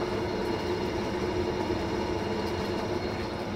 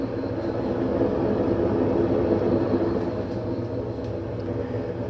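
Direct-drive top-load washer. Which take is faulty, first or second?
second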